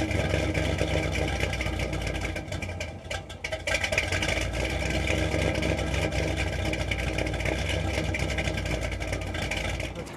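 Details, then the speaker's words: 1974 Corvette V8 at idle after engine reseal, new clutch and throw-out bearing repair, with header flanges fitted; deep, steady even rumble with no ticking or exhaust leak, sounding much better; healthy idle, checked for oil leak at fuel pump spacer. "and check that oil i can already tell it sounds so much better with those header flanges on there"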